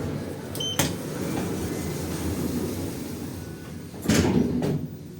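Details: 2011 Schindler 5300 lift with a replaced keypad panel, which normally runs well, travelling down: a continuous low rumble with a couple of sharp clunks; abnormal, worrying rumbling during descent, cause unknown.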